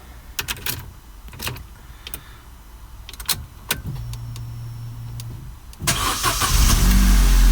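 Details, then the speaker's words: 2009 Vauxhall Corsa D 1.2 petrol after a new crankshaft sensor fixed P0335: short clicks and a brief starter whirr, then it fires first time and settles to a steady idle, where it used to crank about 4 seconds before starting. "Beautiful, first time. Again, it used to take about 3 or 4 seconds, you know, it cranked for about 4 seconds and then it started."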